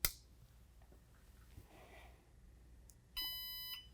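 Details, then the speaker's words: Baby Lock Regalia longarm quilting machine with Pro Stitcher, rear power switch turned on: quiet room, then one clear high electronic beep about half a second long; normal power-on confirmation that everything is communicating. "And then it should beep. If you hear that beep, you know everything's communicating."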